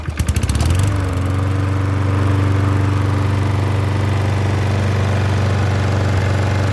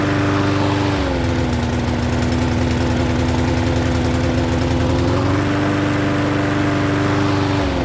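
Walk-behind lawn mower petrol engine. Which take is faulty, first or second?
second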